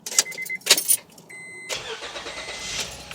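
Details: 2005 Honda Pilot after starter replacement: after the key chimes, a brief crank and the engine catches at once, settling to a smooth quiet idle; new starter works, normal crank and start.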